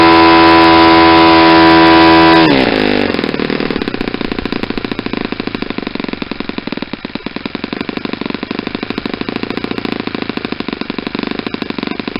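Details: Saito 50 four-stroke on its first run after a rebuild (new ring, new bearings), warm, APC 11x7 prop, Omega 10% fuel. Needle leaned close to peak RPM: a fast, even high-rev buzz with no sag or misfire, and less exhaust smoke.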